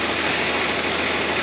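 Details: 4320 tractor diesel running normally with a steady, even note, no knocks or misses, and a faint high whistle; the oil line was just refitted with no leak seen, and the wiring harness is loose.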